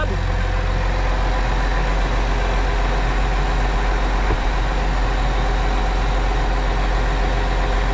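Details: Case 305 heavy diesel just after an oil and filter service (oil slightly overfull), fuel pump humming, oil pressure reading 75 PSI: a steady, even low idle with no knocks or rattles. Normal idle.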